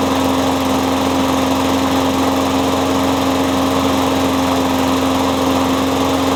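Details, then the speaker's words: Curb-found Husky mower with a Briggs & Stratton Quattro engine, fitted with a new diaphragm and spark plug, a used muffler and a scavenged cable: a steady, even petrol drone with a clean fixed tone and no misses or knocks. Running normally, needs a tune-up. "So it runs pretty good. Just needs a tune-up and a wash."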